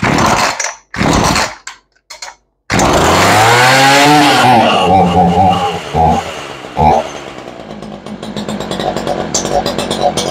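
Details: Ryobi 3818 chainsaw that sat all summer, just after carburettor and fuel diaphragm work, lid off, on choke: revs surge and sag instead of settling to a steady idle; carburettor needs adjusting.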